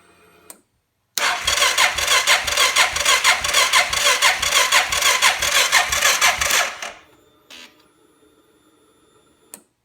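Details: Suzuki KingQuad ATV with Copperhead VDI aftermarket ECU; about five seconds of even starter churning, roughly four compression beats a second, never catches; crank, no-start; maker blames weak charging system, dash dimming, battery dropping to 8V.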